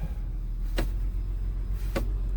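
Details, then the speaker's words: 2003 Honda Pilot that would not shift out of park, after replacing a sticky brake light switch, at idle: a single sharp click each time the brake is pressed as the shift lock solenoid releases; normal, shifter now moves. "oh now I can hear like the Click when you like press the brake I hear the click that might be like a the the column lock or like the shifter so annoying"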